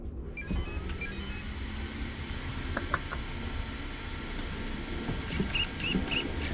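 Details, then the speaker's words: WLtoys 124007 brushless RC car (2S-only ESC) switched on: quick rising electronic chirps then a few short beeps, the speed controller's normal power-up tone sequence. "I didn't want you to hear this hear the neat little sound this thing makes when it turns on it's pretty neat"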